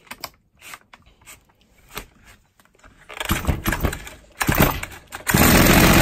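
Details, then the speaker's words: Stihl MS 270 chainsaw after a new cylinder/piston set, bearings, seals and needle cage, unadjusted and on rich oil mix: several pulls and sputters, then a loud, steady high-pitched run with no misfire. "Everything sounds good, I think it doesn't need any adjustment(we'll see)."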